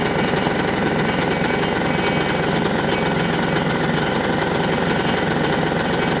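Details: Single-cylinder diesel on a Winget mixer, stood for years and now repaired, restarted a second time: quick, steady chug with no misfires or hunting. Normal running, notably quiet for a single.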